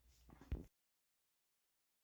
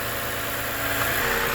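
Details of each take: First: Lexus RX350 V6 idling with a light, busy rattle over the engine hum, first heard at a drive-thru with the window down, loudest at the front engine bracket; suspected failing water pump bearing. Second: Lexus RX350 idling with accessory belt removed to isolate an engine rattle; smooth steady idle, much quieter, no chatter from timing chain or guides; normal idle, noise traced to the water pump.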